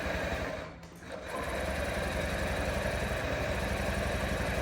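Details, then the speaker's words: 2022 Honda Ruckus scooter that is hard to start after sitting: starter cranks about four turns a second without catching; on starting fluid it fired up and died, pointing to a fuel issue. "Just fired up and died. That makes me almost know for sure that this thing has a fuel issue."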